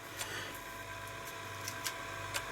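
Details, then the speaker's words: Atari ST floppy drive, swapped drive refitted upside down on the cable: faint spin with a handful of sharp, irregular clicks about one every half second, then it stops; seeks but never reads. Cause suspected, not confirmed. "oh that is reading it no it's not it's clicking that's with the bee and that is actually stopped insert drive"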